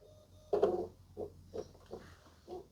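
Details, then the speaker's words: Panasonic Blu-ray player with stuck tray: faint, short motor whirs repeat about every half second while the tray stays put; stretched, slipping tray belt, same issue as a Lennox CD radio needing new belts. "And I can hear some noises noises coming from the tray. I'm not sure if you guys can."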